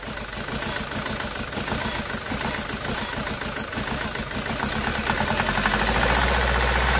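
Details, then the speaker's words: SsangYong Musso 2.0/2.2 four-cylinder diesel after bleeding a totally dry fuel system and reconnecting the IMV: even, steady diesel clatter at idle, rising smoothly with revs. It runs fine now. "so she's running mint now"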